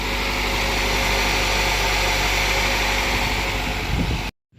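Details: 2013 Nissan Altima 2.5 S, 225,000 miles, idling after a new alternator, battery and belt install: steady, even idle with a smooth hum and no squeal or whine; the earlier noise is gone, engine runs clean.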